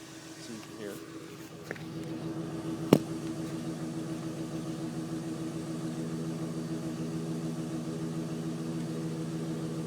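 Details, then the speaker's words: 1999 Chevrolet Silverado K1500 with a 5.3 L V8, phone recording by the tailpipe: a steady, even idle rumble with no ticking, puffing or hissing; a clean, leak-free exhaust. "Heavy duty alternator on it. Exhaust. Burns clean. No leaks."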